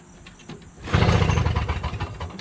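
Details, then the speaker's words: Toro Snow Commander 7HP R-Tek 24-inch single-stage two-stroke snowblower, hot day, 50:1 fuel, primed and choked, good compression: one hard pull with even compression chuffs, never fires; no spark. "no spark. Just doesn't even have a sign of starting."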